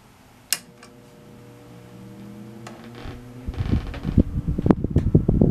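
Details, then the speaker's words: Samson Safe-flex 10-inch single-speed table fan with rubber blades, held down by hand at switch-on: a click, then motor hum climbs and an uneven rattling buzz builds as it reaches speed. Excessive vibration; hardened base rubber grommets suspected. "I have to hold it down because I think the rubber grommets on the base are pretty hard yeah either way it vibrates a lot"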